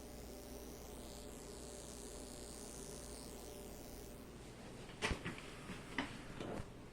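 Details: Vintage Mitsubishi DA-C20 preamp: a faint steady insect-like buzz in a quiet room that stops after a few knocks of handling; the buzz is intermittent, ends when speaker outputs are disabled, and persists with the source unplugged.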